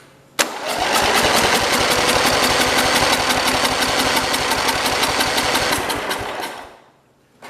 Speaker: let me try a little bit more gas in it it wanted to go that time so it seems like it's starting to run better